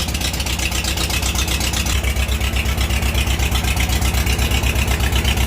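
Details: Farmall H tractor running with Seafoam added during tune-up (new plugs, wires, points, condenser, rotor, cap): rough, lumpy idle with uneven low thump about four per second; misfire from a spark plug with closed gap, fixed by regapping.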